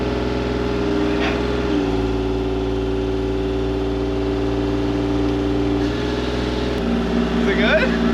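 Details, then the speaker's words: Mini-excavator after the running issue was fixed, hydraulics kicked on under test (one-way valve not yet fitted): steady drone dipping slightly under hydraulic load, no relief-valve hiss or stalling; normal hydraulic operation. "it's working [Music] well buddy she appears to be working great hey fix the uh the running issue and everything else to follow all right not going into relief so that's a good sign"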